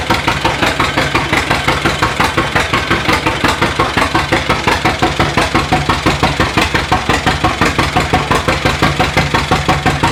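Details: 1936 John Deere A two-cylinder, mostly new engine, first run in decades after timing fixes, hand-cranked, warming with residual oil burning off; slow even putt-putt about three beats a second, no misses; normal idle.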